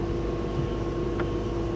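A steady mid-pitched hum with a constant tone comes from the running condenser fan, with no change in speed.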